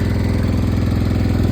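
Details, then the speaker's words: 1968 John Deere 140 H3 tractor, unrun 20+ years, after carburetor check: even steady single-cylinder putter at idle, regular firing pulses, no knocks or misses, a little smoky; running normally. "It actually runs pretty good. A little smoky. Who knows how long it's been since the last time it ran. That sounds pretty good."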